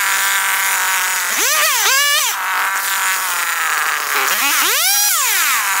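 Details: John Deere EV45 two-stroke chainsaw, made in Japan, after a carburetor rebuild. Crisp buzz revs up and drops back cleanly several times, picks up sharply and idles steady. The saw runs healthy.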